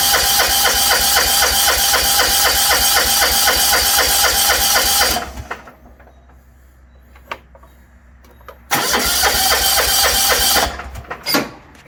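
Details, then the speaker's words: 1980s John Deere 180 lawn tractor from auction, carb untouched, choke up: fast even cranking stops dead twice and engine won't keep running; owner suspects the seat safety switch, not confirmed. "nope what just happened something something shut it down battery we got that all the way up there's something to do with the seat safety"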